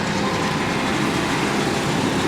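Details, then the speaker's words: 2000 Ford Ranger starts right up, steady even idle rumble with no knocks or misses, slight puffing from a mild exhaust leak; engine sounds healthy. "the engine sounds healthy, and that's the important part. I like it."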